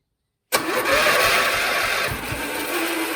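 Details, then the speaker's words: MTD Lawnflite lawn tractor, Briggs and Stratton 12hp single-cylinder engine, cranked via homemade starter trolley wired directly to the starter; a few ragged puffs on starting fluid as it nearly catches but never settles into a steady run. "Made noises like it was trying to start then."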